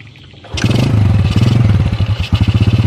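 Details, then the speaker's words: Yamaha Jupiter motorcycle that used to stall below 2000 rpm, now holding about 1500 rpm without dying before carburetor adjustment; low steady putter of about three and a half pulses a second, no stumbling; normal idle. "di 1500rpm kayak gini tuh dia enggak mati ini tanda-tandanya bawa motor ini udah mau disetel"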